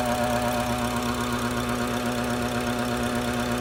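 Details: BMW F10 535i N55 engine at steady idle with fast uneven light knocking and a thin whining tone; faulty boost control solenoid, noise gone after it was replaced.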